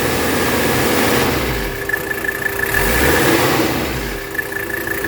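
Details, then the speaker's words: 1984 Mercedes 300D diesel at idle during a blow-by check that shows zero blow-by. Steady, even diesel clatter with no puffing or surging. Very healthy engine, normal idle. "very very healthy engine great just got my fingerprints on there there you go anyway guys that's really it"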